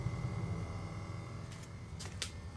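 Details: 2018 Toyota C-HR XLE, engine off and no key in the ignition, just back from a rear bumper replacement: quiet, steady low buzz and faint whine from the rear; owner first suspected the fuel pump, but it is the normal EVAP leak test.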